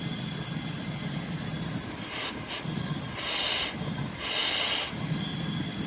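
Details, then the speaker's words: Cold engine on leak-down test at 100 PSI with 75% leakage: pressurised air hisses out in surges over a low rumble, escaping through the adjacent cylinder, indicating a head gasket blown between cylinders. "So if I put air in this cylinder and it's coming out this cylinder, I think I've got a head gasket blown between cylinders."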